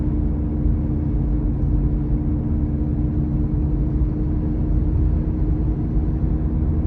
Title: Droning Noise